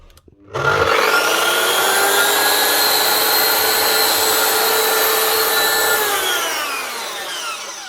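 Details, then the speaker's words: Mafell MT55 CC plunge saw that would not switch on and had no power, after its broken power lead was replaced: motor snaps up to a steady high whine, holds even speed with no stutter, then winds down smoothly. It runs normally. "One Mafell MT55 CC plunge saw. Up and running again. Only needed a new lead."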